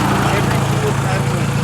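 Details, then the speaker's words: Engine warm, temp good, exhaust not bolted and dangling at the headers: uneven chuffing idle with loose flappy beat that sounds like a misfire; exhaust leak from disconnected exhaust. "sounds like it has a misfire but that's because the exhaust is not connected down there"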